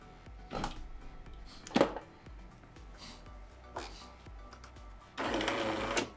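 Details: Jura A7 coffee machine (ENA/A series) brewer unit under test after repairing error 8 from a cracked brewer mechanism: short whirring motor runs with pauses and one brief stutter, then a steady drive stroke to the top; normal operation.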